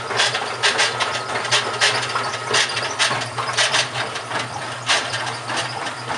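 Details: GE washing machine, model WHDSR315DWW, bought 2006, makes uneven gritty grinding bursts about once a second while running; owner suspects the transmission is going bad, not confirmed.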